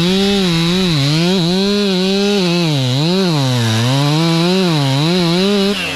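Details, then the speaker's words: Brand-new stock chainsaw cutting a Norfolk pine: engine note keeps sagging and recovering under the cut instead of holding high revs; stock chain dull and barely biting, dogs too small. "so the dogs are too small stock chains dull that's okay that's how we've how we get how we get better"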